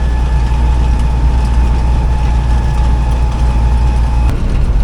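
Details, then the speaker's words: 1956 Willys Jeep CJ5, freshly rebuilt Hurricane engine, first drive: deep smooth drone holding steady RPM with no sputtering or popping, unlike before the rebuild when it sputtered and popped holding revs; normal steady-speed running. "just holding at a steady RPM. It's just It's just there. It's running instead of like before. more. If you tried to hold in RPM, it would kind of sputter and pop. This is great."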